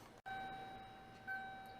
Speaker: and as you guys can see this box functions quietly but it works I did get it loud at one point but uh it went quiet again so I don't know it could just be from age